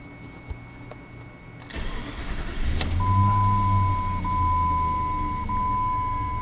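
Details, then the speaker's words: 2001 Jeep Grand Cherokee 4.7 V8 after replacing and programming the faulty PCM: short crank, clean catch, smooth steady idle with a chime, no check engine light; normal start and idle. "and it's alive ah seems to be running nice it is alive no no check engine lights everything looks good"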